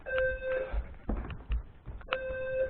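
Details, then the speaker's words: Notifier NFM 320C home fire alarm system tripped without apparent reason: two steady high beeps about two seconds apart with quiet room noise between; owner wonders if it is faulty, cause unknown. "Yeah, I was just minding my own business upstairs when all of a sudden the fire alarm system went off. I don't even know why."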